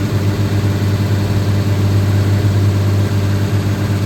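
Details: Fourth-gen truck with a 6.7L diesel, around a DIY valve adjustment; it also has a turbo actuator and grid heater needing repair. Deep, steady diesel idle with an even beat and no knocks or ticks.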